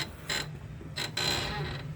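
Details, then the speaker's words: UAZ Patriot leaf spring squeak: high, thin squeaks with each rock of the body as the vehicle is rocked by hand, from the dry leaf spring and shackle rubbing. "давай покачай сразу чтобы показать как скрипит вот такой скрип хорош"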